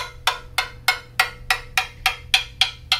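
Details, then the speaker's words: Quarter coin tap test along the tubes of an older, well-used carbon fiber mountain bike frame: sharp, bright taps about three per second, ringing clean and even with no dull thuds or dead spots. Sound also varies with tube geometry, material, thickness and quality. "the idea is you tap along a tube and you listen for any dead spots or soft spots but things that affect that sound our tube geometry tube material to thickness and material quality as well"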